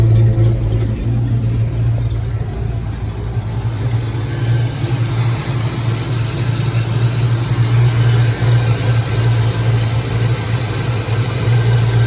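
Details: 1986 Mustang GT V8, original miles, sat a long time, new cap and rotor, warming at idle: low steady drone with slightly uneven pulse and wavering loudness; rough idle, suspected misfire, cause still unknown.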